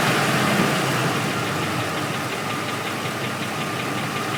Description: Bent flexplate noise took a while to figure it out but it is what it is